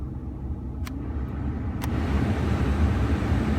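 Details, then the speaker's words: 2011 Ford F-150 after blower motor cleaned out for loud blower noise: smooth airy rush building as fan turned up, no ticking, squeal or rubbing; blower running normally. "yeah that's way better and it's blowing well so"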